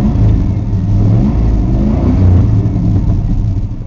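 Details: 1994 Ford F-150 302 V8, five-speed manual, sat nearly two months, cold start: deep, steady rumble with a gentle rise and fall in revs and no knocks or ticks; running healthy.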